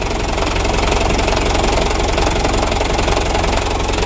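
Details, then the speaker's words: Second-hand Mitsubishi Canter diesel truck, white smoke at startup, three injector nozzles replaced, idle rpm too low and raised, tuning unfinished: loud low lumpy chugging idle with heavy shaking; rough idle. "yang pertama mesinnya guncang parah terlalu rendah rpm nya jadi kita naikkan sedikit ini untuk penyetelannya belum selesai ini masih guncang mesinnya untuk guncangan mesin belum teratasi"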